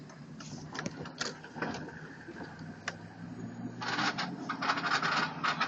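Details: 2003 Chevy Tahoe driving: irregular light rattling clicks over a low engine drone, then rough road noise; the rattle appears during the first half mile, then disappears.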